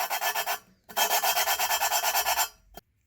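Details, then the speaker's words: 5.3L LS V8 cylinder head for a Fiero swap: harsh, gritty rasping in quick back-and-forth strokes as a valve is lapped on its seat with very coarse compound. The noise should grow quieter as lapping proceeds; this valve is not yet lapped in. "just start spinning and we'll hear that grinding sound and what you want to listen for is that to get softer and it will as you keep spinning it will get quieter"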